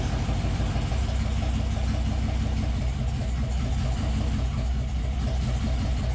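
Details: LS-swapped 4.8L '72 FJ40 Land Cruiser on its first start, after injectors were clicked with power and ground so all eight fire: steady, even, deep, smooth running with no stumbles or knocks. Normal running.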